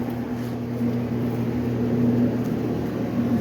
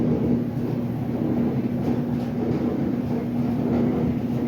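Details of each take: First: Clothes dryer test run on setting 70 after a repair: low, even hum of the drum turning at constant speed with no scraping or thumping. Noise gone, normal rotation. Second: Dryer run in a garage: heavy continuous rumble and grinding over a steady low hum while running, likely why it was discarded. Dryer grinding and rumbling.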